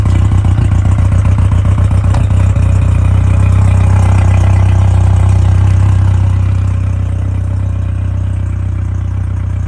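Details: Newly installed Yamaha VMAX 115 outboard, initial start with new fuel separator, primed: a few uneven pulses then a low, even burble and smooth quiet idle; normal idle, though no water yet from the telltale.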